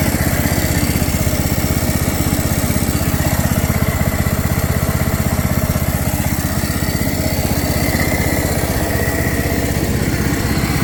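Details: 2007 John Deere Z225 zero-turn after carburetor and head gasket repair, burning off residual oil in the muffler outdoors: small single running at a steady, even beat with no misses or knocks; normal running.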